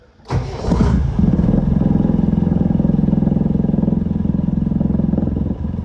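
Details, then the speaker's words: Land Rover Defender 200Tdi diesel after an oil, oil filter and fuel filter service: cranks, catches quickly and settles to an even, steady idle clatter; the oil pressure light goes out within a few seconds. "There we go, a few seconds, and that's gone out. So we'll turn that back off again. So that's good."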